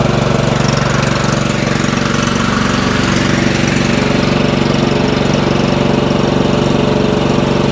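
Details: Craftsman 30-inch riding mower single-cylinder engine, on choke, after the gummed carburetor was cleaned: steady, even fast idle, firing pulses regular with no stumbling or dying. No spark plug was needed; healthy after repair.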